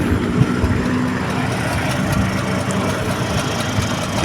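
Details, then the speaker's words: Restored Vespa Super two-stroke engine, after repair of a crankshaft seal eroded by a broken clutch plate spring, warmed up for a few hours; quiet, steady even idle with no knocks, despite a slightly scratched crankshaft; normal idle. "mesinnya masih terdengar tenang. Tidak ada masalah sama sekali. Putaran idle masih cukup bagus, meskipun poros engkolnya sedikit tergores, teman-teman."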